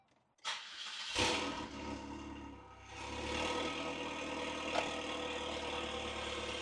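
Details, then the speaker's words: 2003 Saab 9-3 with the original factory fuel pump reinstalled, primed, exhaust disconnected, on a very hot day: a quick crank catches at once into a steady, even idle with no misses or stumble. The engine starts and runs properly. "I was so confident everything worked, but oh, she runs. She runs as she should."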